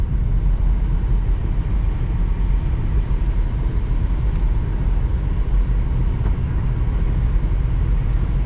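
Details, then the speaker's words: 2000 Chrysler Grand Voyager SE, off the road 8+ years, on balanced junkyard wheels and tires, cruising at 75 mph: steady low road roar with no shake or rhythmic thumping; normal highway cruise. "No shake at 75. Fastest this van's gone in a long time. No shake whatsoever."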